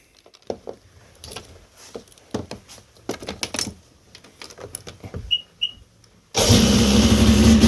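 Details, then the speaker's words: 1995 Sea-Doo XP with a swapped-in 951 two-stroke engine, start-up on freshly rebuilt choke carbs; fires after clicks and settles into a loud, steady buzzing idle around 2,800 rpm, slightly high and needing to be turned down. "Sounds good. Idle is almost where we're at."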